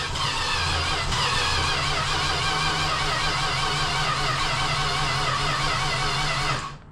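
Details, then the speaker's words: Classic Slant 6 project car, 78,000 miles: steady starter cranking with a short stumble as it tries to fire, then nothing; it briefly catches but won't start, owner suspects the carburetor. "And there it went. It was It tried for a second."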